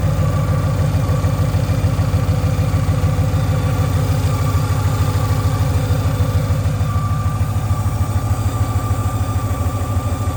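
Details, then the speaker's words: Ford Mustang Boss 302 V8, previously naturally aspirated with full bolt-ons, newly boosted: steady, fairly high whine over a lumpy, even idle; accessories checked good, source unknown. "We just went boosted, and listen to this baby whine."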